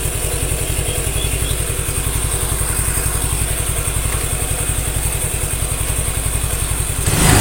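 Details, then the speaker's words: Suzuki Nex II scooter after replacing the failed left camshaft bearing, which had made a rough grinding noise mistaken for a CVT noise: steady, even low putter with a clean firing beat, no rattle or roughness from the CVT or engine; repaired. "ya seperti ini suaranya halus suaranya itu halus tidak ada suara kasar entah itu di bagian CVT atau di bagian mesin Tengah"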